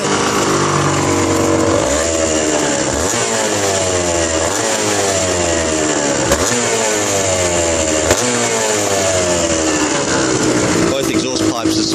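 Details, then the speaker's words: Suzuki RGV250 two-stroke, 43,000 km, cold engine kick-started on full choke: crisp, even ring-ding idle running slightly high, a few clean blips, no misfire; a normal cold idle. "evenly a little bit high at the moment that usually goes down soon choke is fully out"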